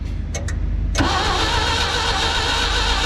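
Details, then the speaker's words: Clark forklift that sat for a few years, cranked on a fresh battery before ether was used: about a second of sluggish, uneven cranking at roughly three turns a second, then it catches. Weak crank; low compression suspected, not confirmed. "that sounds like a really weak crank it doesn't sound like a ton of compression"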